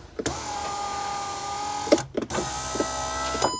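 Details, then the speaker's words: VW Golf R32 power windows after replacing the passenger regulator and motor and blown fuse 30: smooth, steady motor whine about two seconds each way with clean stops, full travel. "I found what the actual issue was with the windows. As you can see, they going up and down and same on"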